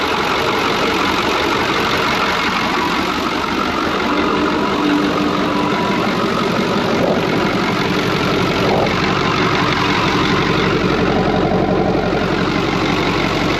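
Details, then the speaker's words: Cummins 555 "triple nickel" diesel in a Brockway 358 truck at idle, just after a valve adjustment that adjusted the loose injectors and tightened nearly all the intake valves. Steady, even, regular beat with no stray knocks; normal idle. "oh man i love this truck it's awesome that sounds freaking awesome nothing else sounds like a triple knuckle"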